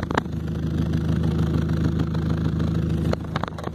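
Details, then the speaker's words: 2000 Pontiac Sunfire, engine started and warming so the surface gets slightly warm before repair: loud, low, unmuffled blatting idle with raw puffing rasp from two holes in the exhaust Y-pipe (one there and one on top); exhaust leak, before J-B Weld SteelStik repair. "Et en même temps, je vais vous montrer le bruit qu'il fait. Donc un joli son de canisse défoncé."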